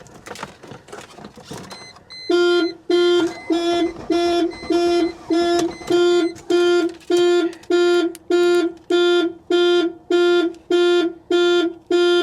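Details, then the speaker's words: Car at a salvage auction, on a jump pack showing 11.6 volts: loud horn pulses repeat evenly, about 100 a minute; the car alarm went off, cause not confirmed. "Okay, are we done playing now? So the alarm went off."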